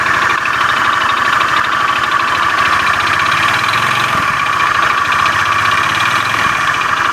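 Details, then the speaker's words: Beat FI scooter with a rough starter, idling in the workshop: a harsh, rapid, deep mechanical clatter (klotok-klotok) over the engine beat. The mechanic attributes it to a worn, damaged connecting rod. "motor teman-teman Beat FI starter kasar suara pada mesinnya kasar klotok-klotok"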